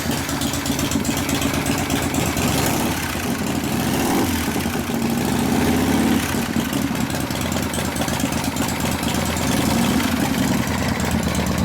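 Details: 1979 Harley shovelhead, rebuilt from 80 to 93 cubic inches, started with wheels on the ground: loud, lumpy, loping V-twin idle with no mechanical knocks, louder than before; the carburetor runs rich and carb jets are to be changed.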